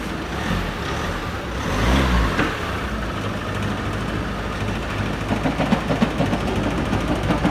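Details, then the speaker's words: 2007 Ford Focus Mk2 at idle: rough, uneven clatter about three beats a second with the engine visibly shaking; judged a seriously worn, egg-shaped flywheel throwing the engine out of balance. "Look at that flipping engine vibrating. That is one seriously worn out flywheel. Clattering, it must be egg shaped."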